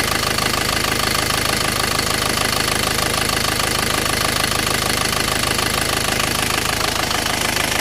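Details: Isuzu 4JA1 diesel with hard starting and low power; harsh, even knocking about twice a second over a clattery idle, running rough, cause suspected but not confirmed.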